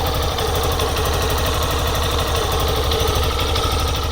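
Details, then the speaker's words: 2008 Yamaha Serow 250 (DG17J), fuel-injected, air-cooled single at 96,340 km, checked before an engine overhaul; it idles steadily with a shrill high-pitched whine and a periodic muffled thump and feels slightly sluggish. The cause has not been found. "There is a rather noisy noise, including a high-pitched, shrill sound and a periodic, muffled sound. The engine is also a little sluggish."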